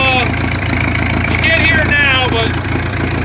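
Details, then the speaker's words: Old Oliver 60 tractor, freshly fired up with clean fuel and lead additive: steady low idle with even firing, no knocks or misses, settling smoothly after a cold start; owner later suspects a governor linkage problem. "it's running okay we're gonna give it a test here let's see if it starts on his own"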